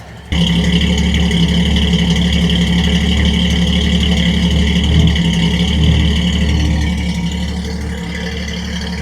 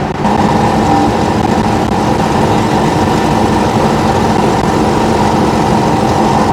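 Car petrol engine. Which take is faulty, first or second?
first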